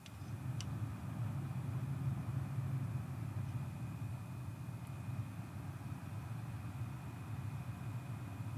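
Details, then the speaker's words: PC with an AMD X570 motherboard after replacing a grinding chipset fan, mic beside the case window: a soft, steady whoosh of fans rising slightly under load, with no grinding or rattle. Normal cooling fan noise. "so you can hear the fans ramping up a little bit right there as my computer's doing some stuff but that's all i ever hear"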